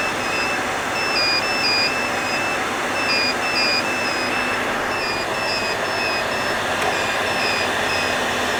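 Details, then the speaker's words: HP EVA6000 disk storage shelves powering up: steady fan roar with short, high, repeated fault beeps from several shelves, each beep's pitch matching the unit number, with the lowest unit lowest pitched. "they beep and the beeping sound the pitch of the beep is corresponds to the unit number so the lowest unit number here has the lowest sound"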